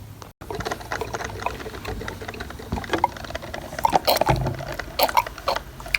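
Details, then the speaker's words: Walmart drip coffee maker that had stopped brewing, after fix with a Monoject syringe: soft gurgling and crackling as water heats and rises, no straining or buzzing; now dripping, water reaches the top where it previously never reached. "Check it out, it's dripping. So we're fixed, I believe. We are fixed because before the water was never reaching up here."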